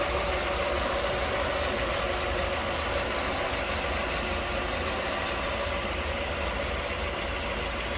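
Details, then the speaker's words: 1989 Mercedes-Benz 560SL V8, stock engine bay, A/C converted from R12 to 134a, idling: steady, even idle under a flat mechanical hum, no misses or knocks, runs smooth. "good, runs smooth. And again, nice and clean and tidy."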